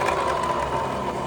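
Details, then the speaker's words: Vario 150 rear wheel spun by hand gives a continuous gritty, rough rumble from the CVT area; worn driven (rear) pulley bearings suspected. "Roda diputar bunyi kasar ya. Nah, kasar banget seperti ini. Ini motor Vario 150 ya."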